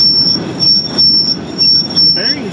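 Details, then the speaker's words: Barn-find Massey Ferguson 300 combine being prepped to pick corn: a piercing steady high-pitched squeal over the machinery, pulsing about twice a second; a bearing, or the one behind it, is suspected. "what is the deal that sweet holy cow why did be R could be that bearing or the one behind"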